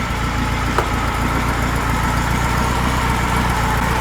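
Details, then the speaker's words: Freshly built high-performance VW flat-four for a Baja Bug, first run at the engine builder's, still cold with 50 lb oil pressure at idle: steady, even idle with a smooth low throb and no knocks or ticks. "boy what a difference you can you can hear how well it runs too"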